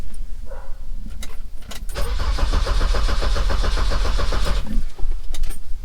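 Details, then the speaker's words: 1987 car that had sat a while: starter churns evenly about three to four beats a second but never catches; fuel pump gets power yet no pumping sound is heard, owner suspects fuel pump not delivering fuel. "There's no sound of fuel there at all."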